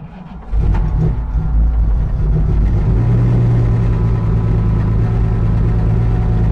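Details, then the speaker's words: Jaguar XJS V12 track car after nearly three years stored, 75 psi oil pressure: loud, uneven hunting idle with light top-end tapping. Owner suspects some or all carburetors need rebuilding after sitting dry; rough running. "now clearly it needs some work it didn't run all that great i'm sure that there's a few carburetors if not all of them that need to be rebuilt"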